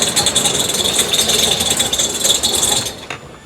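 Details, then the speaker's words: Holden VK Commodore Berlina barn find, first run in 12 years after injector and fuel work: a loud, uneven metallic rattle from underneath and a high hiss, with fuel splashing. Rattle source unknown. "all I can see is that fuel splashing all over something was rattling like crazy down here too but it does work first run in 12 years yeah that easy"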